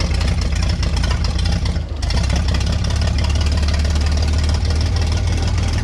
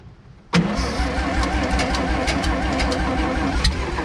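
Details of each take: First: Vintage Scoopmobile LD5P articulating loader (thought late 1940s–early 1950s), sat at least 15 years; with spark on the points, engine catches and keeps running on its own at a low, heavy idle after a brief dip; coolant level unknown, run kept short. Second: Vintage Scoopmobile LD5P articulating loader (thought late 1940s–early 1950s), first start attempt after at least 15 years sitting, reusing an old gasket; starter churns the engine unevenly, trying to catch but never running; owners suspect it was flooded.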